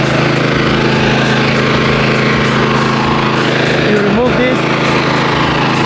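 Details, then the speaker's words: Lawnmower with a dead battery started using an ACMOUNT jump starter pack: small engine runs at steady even speed with constant buzzing beat, no stumbling; normal running after start. "cut it off the batter is really dead on this one so that one started pretty good and that one took out one percent"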